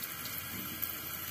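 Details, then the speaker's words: Engine off, cooling system under pressure on a car: steady soft hiss with watery trickle as coolant escapes at the pipe joint into the water pump, a small leak underneath; coolant leak under pressure. "bocor Keh bocore Joe di sini Lo sambungan antara pipa-pipa by panjang ke nih water pump ini tapi di bawah bocornya kecil tuh"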